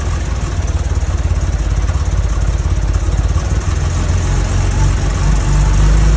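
Idle pulses unevenly with a lumpy, hunting beat instead of a smooth run, a rough idle of unclear cause.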